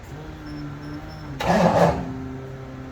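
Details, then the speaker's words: 1989 Mustang Notchback starting on newly replaced starter, battery not yet secured: quiet hum then harsh half-second grinding burst as it cranks and catches, sounding like starter grinding on the flywheel; cause not yet found. "see how nasty it starts it sounds like grinding away at the flywheel"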